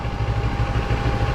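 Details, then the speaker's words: Motorcycle at idle with the TFT dash cowl bracket screws backed off and elastic added: an even engine thump with no cowl rattle or buzz. The vibration fix is working. "okay I backed it off no noise put the elastic on"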